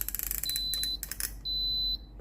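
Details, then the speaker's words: Philips GC6720 (GC67xx) steam iron with orange light flashing and constant beeping; high-pitched repeating beeps then a long held tone as the orange button is held 2 seconds to start the descale cycle, a descale reminder. "กดปุ่มนะครับผมตรงไฟสีส้มนะครับ2วินาทีนะครับผมค้างไว้นะครับจะได้ยินเสียงดังปี๊ดยาวนะครับ"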